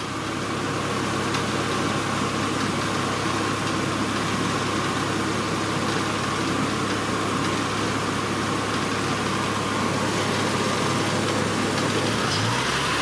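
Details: Honda Accord V6 idling after thermostat replacement and coolant bleeding, heater on high: steady even idle under constant blower rush, no misses, knocks or surging; normal idle.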